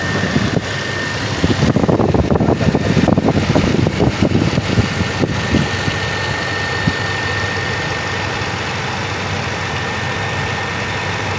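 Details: 2013 Lexus after camshaft timing sprocket replacement, restarted after running about 5 minutes in the morning: steady, even idle with no rattle or tapping once the first revs settle; no morning rattle, timing drive sounds healthy.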